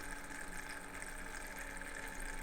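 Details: Thermalright 360 AIO on a test bench, pump switched back from 100%, CPU at idle: a soft steady pump whir under an irregular bubbly trickle that comes and goes, from air still trapped in the pump.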